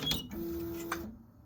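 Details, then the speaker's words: Prusa XL tool 5 squeaking on docking and undocking after an upgrade: short clicks then a clear sub-second squeak as the tool seats; owner suspects nozzle not fully seated, hitting the dock. "are you going to tell me you didn't squeak there we go squeaky squeaky doesn't seem to squeak I don't know what in the world the squeaking"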